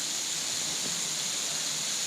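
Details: Freeze Miser setup on outdoor hose line with Y valve open, water turned on to purge air so water reaches the valve; steady even high hiss of escaping air, no sputter or drip, normal purging, no leaks after.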